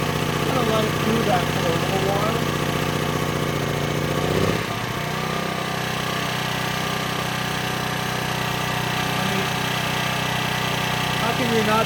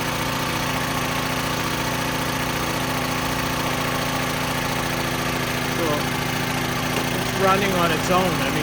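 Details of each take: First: Small used generator of unknown history, started after its carburetor was stripped and cleaned, choke off: steady, even drone after a brief change in note, no hunting or surging; normal running. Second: Small generator engine bought cheap, unknown condition, carburetor leaking, running on its own after start-up: rough, uneven, speed wandering as the governor hunts because it struggles to suck in fuel. Engine surging from fuel starvation through the dirty carburetor.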